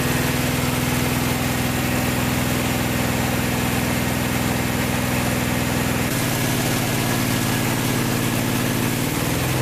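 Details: Vintage VW air-cooled flat-four from a 1956 Beetle barn find (not original engine), first run after 23–24 years stored, after carburetor work: steady even idle with smooth low beat, no knocks or rattles; healthy.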